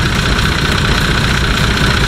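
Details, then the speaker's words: Nissan Patrol TD42 diesel that previously ran hot, up to 115° on the highway when towing; new UFI fan just installed with the rubbing tab fixed; smooth idle with a steady fan hum, moving noticeably more air than the old fan, no rubbing. "better can hear the fan hum sounds a lot better than the old one it sounds like it's actually moving a lot more air"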